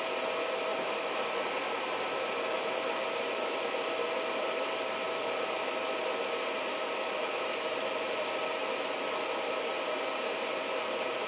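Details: Reliable Electric 800W pure sine inverter on a bench test, load ramped from 700 W toward 800 W, with output voltage sagging to about 100 V: a steady airy rush with a faint constant high hum. The cooling fan is running normally near full load.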